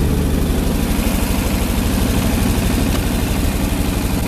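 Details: Ford 8N tractor with Ford six-cylinder flathead truck engine, about a quart low, idles with a steady, even chug and regular firing, no knocks or misses; runs normally after the alternator energizing wire was disconnected to cure run-on.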